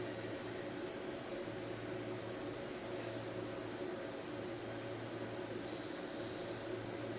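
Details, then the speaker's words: New Wormhole tattoo pen from a kit, loaded with a cartridge and run at about 5–8 volts, needle sticking out a lot: loud constant buzzing drone with heavy vibration, rougher than a smooth pen. Excessive noise and vibration. "It's really noisy. It's noisy and it kind of vibrates a lot."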